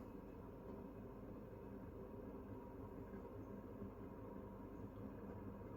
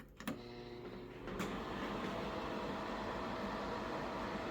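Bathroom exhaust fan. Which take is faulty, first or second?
second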